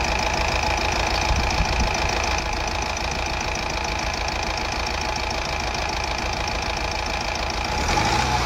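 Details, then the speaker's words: Honda Amaze diesel with low pickup, vibration and check engine light (DTC P0203): rough uneven chug with irregular knocks at idle and revs, one cylinder dropping; misfire. "बाहर से दिखाता हूं बाहर से देखेंगे तो engine पूरा miss fire हो रहा है"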